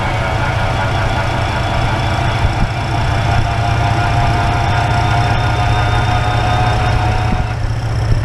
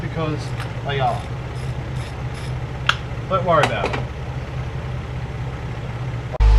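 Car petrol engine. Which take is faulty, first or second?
first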